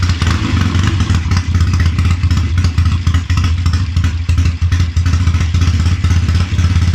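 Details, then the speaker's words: Triumph Tiger 90 350 motorcycle with electronic ignition at first start-up after rebuild, before strobe timing: lumpy, uneven tickover with loud thumping pulses and dips where it nearly stalls; rough idle, cause not confirmed. "come on you're embarrassing yourself now I had you sweet as a n come on"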